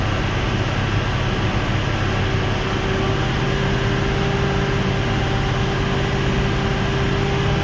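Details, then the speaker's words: 2004 Ford 6.0L Powerstroke diesel after repair on the odd bank 1 side, running about five more minutes, not yet driven: even, steady low idle with no misses or knocks; odd bank healthy, number 6 still questionable. "Still managing to do a little bit better, but everything on that odd bank right now is all doing really good."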